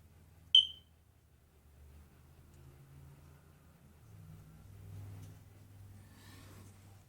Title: Smoke detector door open and low battery chirps